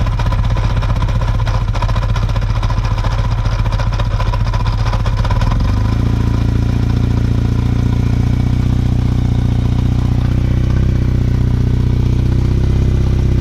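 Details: Kawasaki KZ750 motorcycle engine idling cold with a loose, uneven clatter over the exhaust beat that smooths slightly as revs settle; the source is not identified.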